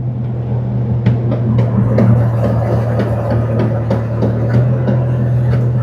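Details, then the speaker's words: 1999 Toyota 4Runner, road test slowing with brake applied while driving with two feet: sharp knocks about every second over road drone, located at the right rear corner though parts there are new; suspected play in inboard spider gear, unconfirmed. "it's definitely coming from the the right rear corner everything's new in there"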